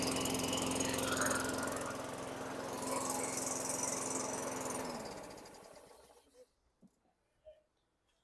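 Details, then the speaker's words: 2003 Craftsman 917.387360 mower, Tecumseh 4.5 hp 148cc engine, after fitting correct carburetor: even, rather low hum then winds down; runs well but rpm slightly slow, to be adjusted. Engine speed slightly low. "that sounds a lot better I wanna tweak the RPMs they're a little slow or low however you want to say it"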